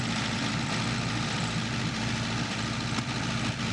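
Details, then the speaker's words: Vintage Coca-Cola delivery truck abandoned 40 years, engine just revived and now running on its own: deep, steady rumble with an even beat, no misses or surging; healthy idle. "That sounded way healthier. The engine's finally starting to respond properly. The engine's finally running on its own."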